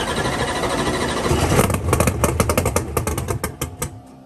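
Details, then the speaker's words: Gasoline and nitrous race car, first fire-up after a broken intake rocker on cylinder four was replaced with steel rockers. The engine catches and sputters in uneven bursts, then dies from fuel starvation because the fuel cell was empty. "my knees are more fuel sounds low it sounds like she's running i keep looking at that fuel cell forgetting it's a gas car gas and nitrous you don't need about a gallon all right some more gas in her own she was empty"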